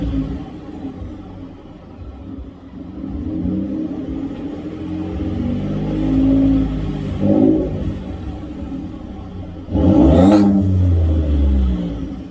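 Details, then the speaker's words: 2015 Ford F-150 Lariat, 3.5L EcoBoost, with a new Corsa exhaust and cold air intake: deep, mellow rumble swelling smoothly through a couple of revs and settling back; not too loud, healthy system. "actually very excited about this one so not too loud not super annoying just enough that because I mean again I'm not 18 anymore uh so I just wanted something mellow"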